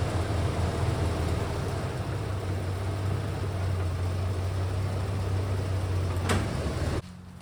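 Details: OBS Chevy truck now running after the no-spark problem was traced to the distributor; the owner blames a separate noise on the transfer case. A steady, even low idle with no misses, pops or backfires. It sounds healthy.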